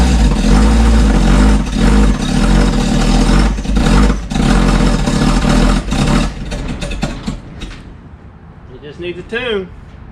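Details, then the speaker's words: A 1972 Dodge 318 V8 after nearly 20 years, with rebuilt carb, new vacuum hoses and ignition wires; it lumbers unevenly with loping stumbles under blips, then fades out, badly out of tune. "yeah it's out of tune really bad but it's got the bones for it i could hear it rumbling in there well it's not quite running"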